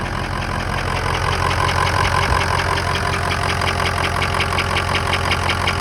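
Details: 2003 Ford F-250 6.0 diesel idling with steady light tapping about three per second over the clatter, soft knock from right side near alternator, owner thinks it sounds like air; source unconfirmed.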